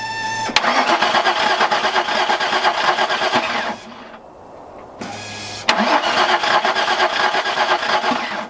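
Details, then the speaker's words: Steve's car, switched back from Mega Squirt to factory ECU and throttle body plug, cold weather: two fast, even cranking attempts of about three seconds that never fire; crank sensor, coil pack and fuel checked, suspected no spark. "Unfortunately, couldn't get Steve's car to start. We went through all the basic stuff: crank sensor, coil pack, the car's getting fuel."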